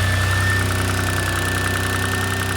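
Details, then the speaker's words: Turbocharged 600+ hp flat-six Subaru Levorg engine at rough idle: steady rapid metallic knock at constant rate, oil pressure unaffected; internal engine noise, source not yet found, engine must come out for teardown. "unfortunately the logg engine sounds like this um doesn't affect oil pressure doesn't affect anything it seems but it is noise and that means the motor's got to come out"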